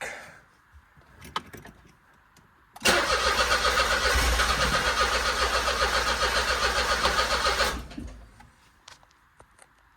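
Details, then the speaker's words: 2008 Smart Fortwo 451 Passion Cabrio, stood about 3 years, first start attempt on fresh battery: steady fast starter whirr, even compression pulses, never catches or splutters; scan tool shows RPM so crank sensor works, owner suspects no spark; crank no start. "Okay, so we are back where I was with that white chimney behind me in one of the previous videos, where it would crank but it wouldn't start, and it doesn't even splutter"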